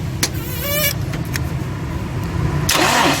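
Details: Toyota Hilux Vigo with a no-start fault: it cranks briefly, catches and settles into a steady, even idle with no misfire or knock, now starting and running fine.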